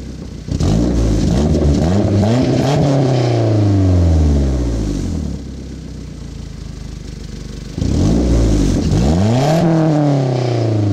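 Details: 1991 Toyota Celica GT Convertible petrol engine revved twice after fixing an exhaust leak, rising and falling cleanly with no puffing, ticking or hiss from the exhaust.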